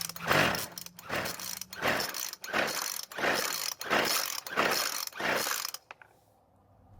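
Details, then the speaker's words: Poulan Pro pole saw two-stroke, previously stuck and freed, with repaired damaged flywheel key; seven recoil pulls with no firing after idle screw was turned out from too-high idle, cranks but no start, choke being turned off to avoid flooding. "so it didn't start this time but to keep the engine from flooding I'm going to turn the choke off and try that again"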